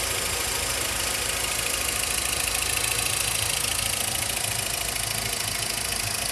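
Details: 2010/2011 VW Voyage Comfortline 1.6 with 46,783 km at idle: fast, even ticking about twice a second with bright top-end clatter. The owner suspects the injectors rather than the camshaft; the noise began after the timing belt and tensioner were replaced.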